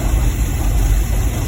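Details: 2010 GMC Savana 1500 4.3 V6, previously a no-start with no spark and no codes despite a replaced PCM, now running after ignition module driver checks: deep, smooth, even idle with no skips or ticking; normal idle.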